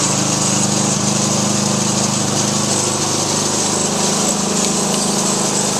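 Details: Weed Eater One riding mower with Briggs & Stratton 875 series professional engine, recently fitted with a new differential and a freshly charged battery: a fast, steady small-engine buzz with an even firing beat and no misses or knocks; runs strong and clean.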